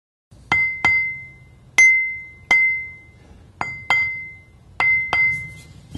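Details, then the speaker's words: Ring test of a grinding wheel hung on a support smaller than its centre hole, tapped about 45 degrees either side of the centre line, then turned 180 degrees: each tap gives a clear, lingering bell-like ring, so no crack. "then turn the wheel 180 degrees and repeat the test just to be sure you can clearly hear the ring when we tap this wheel so it doesn't look like it has a crack"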